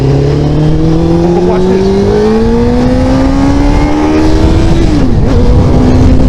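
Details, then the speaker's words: Motorcycle (one of a 2004 Honda ST1300, 2001 Shadow ACE750, 2003 GSXR600 or 2000 Katana 750) with rebuilt fuel pump and new filter: note climbs under throttle, stutters near the top, then picks back up; also stumbled shifting into sixth. Owner suspects injectors. Hesitation under acceleration. "this so in stuttering stuttering then picking back up but then it starts again"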